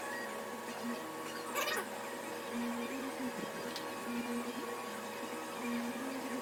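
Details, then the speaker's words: Vevor 8kW diesel parking heater, first startup after unboxing and assembly: soft fan whir builds airflow, then sharp click-click of the fuel pump priming, which runs about 20 seconds unless fuel ignites; normal startup. "it gets airflow going and then it'll turn the fuel pump on and you'll hear the click click click of the fuel pump"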